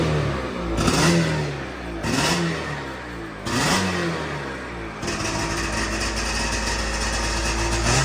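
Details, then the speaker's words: 1997 Sea-Doo XP 800 two-stroke, sat for years, carbs rebuilt from fully disassembled: blips up, then runs raspy and uneven. "That's how it's running out of fuel. Like it won't, it's not taking it."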